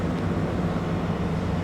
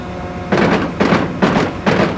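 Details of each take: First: Cotton picker row unit head being rotated, front drum: steady, even low drone with no binding, knocking or grinding; front drum turns freely, normal, unlike the tight back drum and slipping main gearbox slip clutch. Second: Cotton picker #1 row unit in tether mode, with the drive rotating the head after washing: heavy rhythmic clunks two to three a second as the main gearbox slip clutch ratchets and slips, a damaged head.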